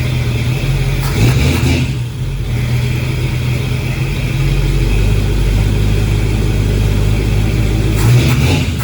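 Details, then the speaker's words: Chevy 350 small-block V8 swap; deep rumble revving and settling with uneven beat underneath, spark tester on plug number 1 shows no spark, dead cylinder misfire. "I got a spark tester on plug number 1, and we about to see what we get on it. I'm getting just nothing."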